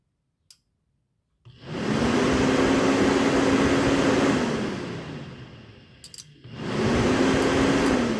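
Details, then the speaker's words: Acura Integra electric cooling fan after fix, now switched via a 30 A relay controlled by the factory OEM fan sensor instead of a manual switch; relay clicks, fan whooshes to a strong steady hum, cycles again, working properly. "now so you can hear the relay clicking and then you can hear the fan um you know you can hear that coming on so pretty much everything is set up the way that I wanted it now I don't remember this fan ever blowing this strong"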